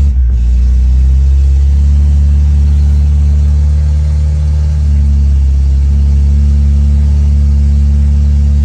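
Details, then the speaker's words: Turbo car revved after fuel pump wiring fixed, FuelTech timing said correct, burning off oil in exhaust, rpm reading questioned; deep heavy rumble with slight surging; rough running, fuel map still needs tuning. "Tá muito estranho muito esquisito então muito estranho muito esquisitão"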